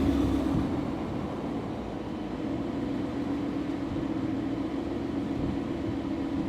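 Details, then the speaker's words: Car's first start and idle right after a new E85 tune, with air-fuel ratios still adjusting. A steady, even idle with a smooth low drone and no knocks or misses; it runs cleanly. "here's the first start even idle for a few minutes afr's are adjusting right now"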